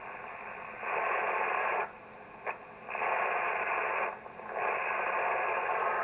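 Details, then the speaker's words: ICOM IC-751A transceiver after PLL adjustment: an 11 MHz RF generator probe near the antenna input gives hissy, scrambled rushes cutting in and out instead of a steady tone. Still distorted. "we're still distorted so it's not a problem with the pol interesting"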